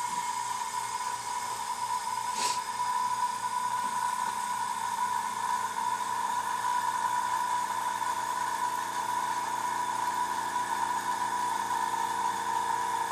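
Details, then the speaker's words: Iwata Power Jet Pro compressor first switched on with an airbrush connected and the regulator unadjusted: sharp click, then a steady high, clean, even hum. Normal running. "Wow I say that because they're at 60 psi it cut off at almost 60 psi now I do not want to run 60 psi through my airbrush"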